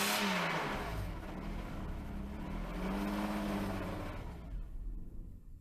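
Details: Mercedes-Benz W140 S600 V12 idles with revs rising and easing off without throttle input; hunting, surging idle. Owner suspects mass air flow or a fuel problem, possibly a broken fuel line; cause unconfirmed.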